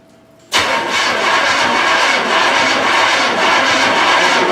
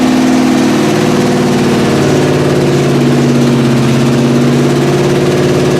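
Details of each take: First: 1981 Recaro Trans Am (Turbo Pace Car) sitting for years with 6-year-old gas and a new battery: starter cranks steadily but the engine never fires because no fuel has reached the carburetor yet. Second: 1981 Recaro Trans Am (Turbo Pace Car) running after years of sitting and a carb fire on startup: steady, even idle with a smooth low drone, no valvetrain noise and no smoke; motor sounds clean and healthy.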